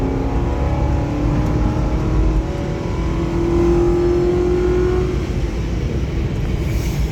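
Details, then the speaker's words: 2011 Ford Crown Victoria Police Interceptor V8 with 108,000 miles at full throttle: strong roar climbing smoothly, with a faint whine from the alternator clutch kicking in. The engine pulls cleanly: normal hard acceleration. "So I'm gonna hammer it here so you can hear it run out again, just because it's fun."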